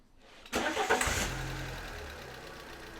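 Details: 2010 Fiat Punto Evo 1.4 with P0555 brake booster pressure sensor code: quick crank catch and quiet smooth idle with no hissing underneath; vacuum-leak hiss absent in this state.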